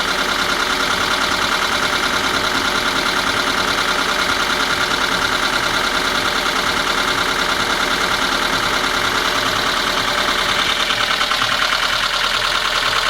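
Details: VAZ 21213 engine at idle, running evenly, with a fairly even internal tapping knock about three times a second over the engine note. Source not yet found; the valve cover is to be removed to inspect. Engine knock at idle.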